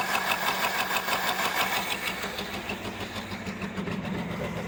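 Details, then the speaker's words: 1975 Ford Granada V8 revived after years of neglect: idles unevenly and shakes, loping about three times a second as cylinders pick up and drop out. It wants choke, and with the vacuum tree unplugged a vacuum leak is suspected. "Oh, there we go. Picked up a cylinder. Oh, and it's gone. Maybe we'll get all 8 someday."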